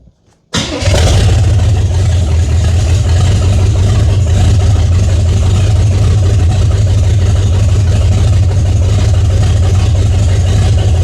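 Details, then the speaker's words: 1978 Chevy Nova restarted after sitting 21 years, oil found nearly empty: catches right away and settles into a steady, even low-pitched run with no knocks or stumbles; healthy, still making 50 psi oil pressure. "Okay, well, I think that at least tells us that the engine's healthy enough."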